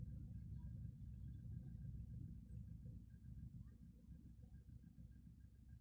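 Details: Volkswagen Polo sedan idling during warm-up with EPS light coming on: low uneven rumble with lumpy stumbling beat; engine misfire, cause unknown.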